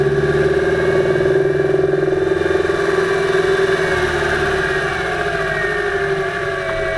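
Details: 2008 Subaru Impreza 2.5i driving, microphone above the driver-side timing belt cover: quick uneven knock two or three a second under the drone, loudest around 2500 rpm under light-moderate load in any gear, fading with more load, absent without load or below 2000 rpm; cause undiagnosed.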